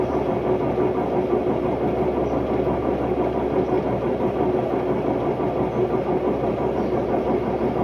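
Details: Hotpoint Ultima WMD960 washing machine, recently acquired, test spin: loud continuous rumbling roar with a steady mid-pitched hum, rougher than normal; bad drum bearings blamed.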